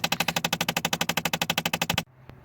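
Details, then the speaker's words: 2012 Chrysler 300, driver-side upper blend door actuator failed: rapid, even clicking about twelve a second behind the dash, heard after shutoff while cycling or when changing temperature or airflow controls. "nd just to show you, this is the noise you will hear when a blend door actuator has gone out. Either after the car has been turned off and it's trying to cycle, or you're changing some of the controls, temperature, or the direction of airflow."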